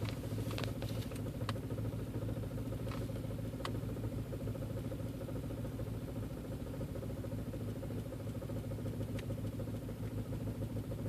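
Steady low engine drone with an irregular, lumpy pulse around three a second; the idle stumbles and shakes rather than running evenly.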